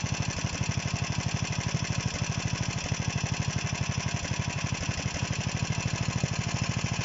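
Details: DM-1 single-cylinder engine after a major overhaul: crisp, even firing at steady idle, no knocks, misses or rattles; running healthy.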